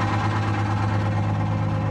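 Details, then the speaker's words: Crown school bus, Detroit Diesel 2-stroke 71 series, after swapping the injector on a non-firing cylinder with injector timing not set: deep steady even idle, still smoking; owner wonders about a bad valve, though smoke may be improved. "Still smoking. What if we got a bad valve?"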